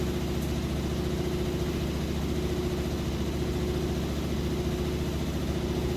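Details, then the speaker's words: Like-new Maytag Bravos HE washer on a heavy-duty cycle, warm water, super heavy load, at the 4-minute mark: fast spin with a steady low hum and even drone, no thumping; normal spin, smooth and stable. "okay so we're back at the 4-minute mark it's spinning extremely fast"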